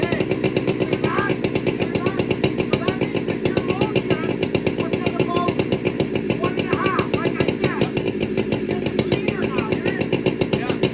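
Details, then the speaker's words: Warm chainsaw, air cleaner cleaned, low jet set to one turn out: rapid, even two-stroke putter with a slightly hollow, hunting note at low speed. Uneven idle; suspected a little lean on the low jet, starting to starve for fuel. "That sounds to me a little bit lean on the low jet. Okay. It just sounds, it could be almost starting to starve for fuel."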